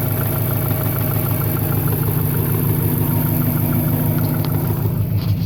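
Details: 1998 Subaru Impreza 2.5RS idling: dull, fairly regular knock about three per second over the engine note. Owner suspects rod knock or piston slap; source not confirmed.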